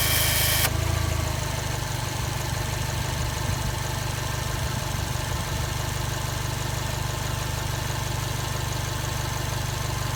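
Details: Subaru Impreza STI (GRB) at idle: steady idle with an uneven tick about three or four times a second on top; abnormal noise from the air-conditioning compressor.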